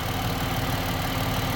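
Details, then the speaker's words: 2011 Ford Escape at warm idle: dull, even pulsing knock under the engine hum, rising with revs; owner suspects rod bearing or timing, engine has a timing chain. Cause not confirmed. "I can hear it she going see if you can hear it if I give a guess it go it'll go higher that can very well be uh timing"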